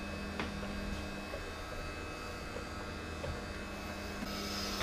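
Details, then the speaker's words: Philips masticating juicer with screw-thread extraction, first use: quiet, steady electric hum with a faint whir and no grinding, straining or rattling; motor runs smoothly, normal operation. "it's not very noisy eater so it's quite good news and there's a screw thing going through"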